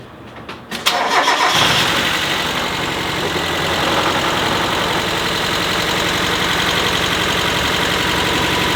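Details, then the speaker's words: NA Miata restarted after sitting three years, with the old fuel drained and the oil changed; oil was topped up after the first smoky attempt, as it was thought to be a little low. A brief crank, it catches within a second, then settles into a steady, even idle with no knocks or misses. "Much better."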